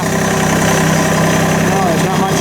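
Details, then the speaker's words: John Deere 47 snowblower after reassembly, blowing snow: steady even engine drone, blower turning smoothly with no rattling; quieter than the terrible rattle before. "Definitely quieter because I can't hear it from when I'm working up here. I could hear it before rattling around up there."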